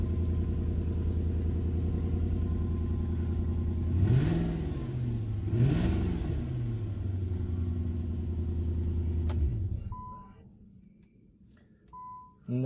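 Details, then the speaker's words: 2003 Infiniti M45 salvage rebuild that ran smooth for ten minutes, then started missing again after a restart: low idle with an uneven stumble and faint arcing-like popping, two quick revs; cylinder misfire, suspected coil pack. "I'm gonna switch the coil is more than likely that's coils and I can kind of hear a popping noise like it's arcing so I'm pretty sure it's a coil pack"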